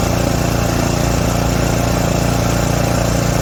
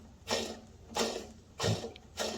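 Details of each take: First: Craftsman 28-inch snowblower 247.888740 after full service: new auger gearbox seal with 80W-90 oil, new belts and auger bearing, NGK RN9YC plug, Trufuel 4-cycle; small single-cylinder holds steady even beat, no misses, surging or rattles; healthy. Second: Craftsman 28-inch snowblower, model 247.888740, only a couple years old, auger drive pulley removed: quiet gritty rasp in bursts as the auger bearing is spun by hand; noisy worn auger bearing, to be replaced.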